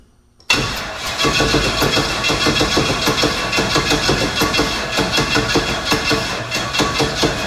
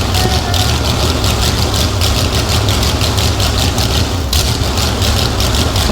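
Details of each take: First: Big block Chevy jet boat engine, first start attempt with starting fluid: steady starter churn about eight seconds with no firing, then stops; no spark because the dead man kill-switch lanyard wasn't in. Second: Big-block Chevy engine in a jet boat, first start using starting fluid and an old jump box: deep, loud, lumpy V8 burble at a steady idle with crisp exhaust pulses. Running properly.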